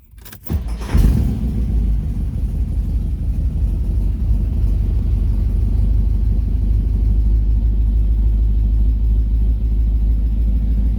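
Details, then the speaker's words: Un-restored 1969 Chevy Corvette C3, stored 17 years, Rochester Quadrajet, with new fuel filters and new water pump: engine catches after a brief crank into a low, steady rumble, no knocks or misses; healthy idle. "All right, I've had it running for about 10 to 12 minutes already, and so far that's as far as the temperature gauge has gone."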